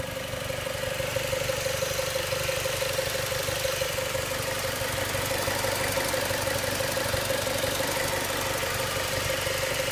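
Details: 2006 Mazda Miata MX-5 NC petrol engine idling with a light, steady clicking of about three a second over an even hum; the owner asks if this is normal.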